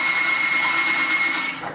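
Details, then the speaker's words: Timken bearing test rig, race saturated with Hoppe's No. 9 firearm lubricant under equal weight; loud, constant high-pitched screech with smoke as the bearing runs dry; lubricant failed within 4 seconds, bearing damaged by friction and heat. "note the loud screeching and smoke that immediately appears at this point the lubricant is"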